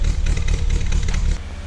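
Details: Peugeot 205 GTI restoration with ported and polished engine, first start after electrical repairs: uneven lumpy idle with stumbling firing pulses, then quieter; owner suspects distributor needs adjusting. Cause suspected, not confirmed.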